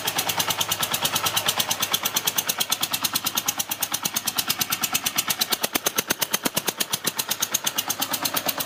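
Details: Yamaha TDM 850 (4TX) twin at idle: fast, sharp, crisp ticking rattle about three per second riding over the engine; engine noise, cause unknown.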